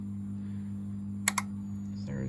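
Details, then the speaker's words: Afore HNS1000TL-1 grid-tie solar inverter fed 212 V DC, IGBT already replaced: two quick relay clicks over an electrical hum, then it loops back to Fault 17 (said to be thermal trip/sensor); cause not confirmed. "there it is again. You can hear the relays clicking. Those blue boxes just there on the right are the relays."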